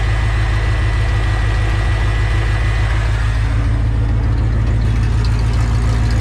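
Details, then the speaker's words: 1984 Ford F-150, old 302 V8 just after new oil pump installed (old one ate dipstick tube piece), 70 psi oil pressure at idle: deep steady even lope, no knocks, ticks or rattles, normal idle. "and it's not too loud at idle so uh I can hear stuff nothing sounds"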